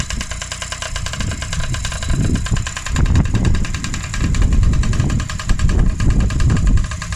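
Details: Freshly rebuilt Honda QR50 two-stroke started outdoors in the yard, oil topped up, little petrol in, new carb fitted: quick, fairly even crackling beat with some throttle swells, running cleanly; normal running.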